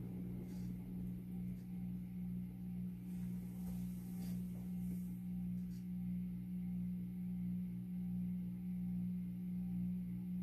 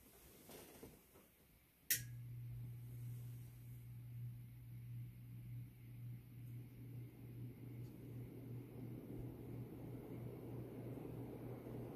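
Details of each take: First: 52-inch Supreme Fan Mark III ceiling fan on low speed: a loud, steady low hum with a faint slow wobble. Owner suspects the faulty variable speed control, which has dead sections, may be causing the noise. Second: 52" Supreme Fan Mark III (Emperor) ceiling fan, recovered from an abandoned house: switch click, then steady low motor hum and smooth rising air whoosh; runs strong and even, normal running.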